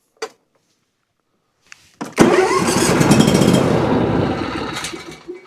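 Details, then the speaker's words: Ferris IS3000Z mower, 27 HP Briggs & Stratton V-twin, diagnosed for low power and rough running, run on one cylinder only: catches after a pause, runs with an even, steady thump, then winds down; that cylinder is healthy. "So, we know that cylinder is nice and healthy. It runs perfectly fine on its own."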